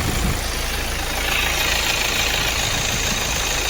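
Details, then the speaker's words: Hyundai/Kia Sportage with a battery-discharge no-start, jump-started and charging above 13 V, restarted after checks: steady, even idle with fan whoosh and no belt squeal or knocks. Normal idle. "देखिए अभी बंद कर दिया हूं start करके देखते हैं start हो गया है बैटरी भी चार्ज हो गया"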